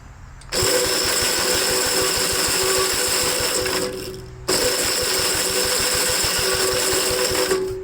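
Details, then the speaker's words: 1957 Gravely tractor, battery refitted, after servicing the slow-cranking, bench-growling starter, low on fuel: two bursts of fast, even cranking with a steady whir and regular compression beats, no start; starter healthy. "all right so the starter is working pretty good a little bit of a silly service we that tow it like I said that's not really the right way to uh service the starter but we got it to stop growling like it was on the bench"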